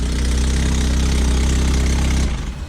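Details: 2005 Lotus Elise with a Weapon-R header and cat delete only mocked up, no gasket, O2 sensor holes open, Larini SE muffler: loud raw puffing and ticking at idle, an exhaust leak.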